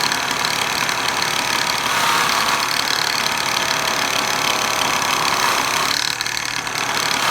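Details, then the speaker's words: Old Sears bench buffing tool polishing a T6 aluminum bracket. Fast, uneven rattling, roughly four a second, over a harsh motor whine; the buffer is suspected to be loose and worn, but it keeps running. "listen to that thing rattle it sounds like an old worn out 22 re with a bunch of dudes in the cab drinking Twisted Tea"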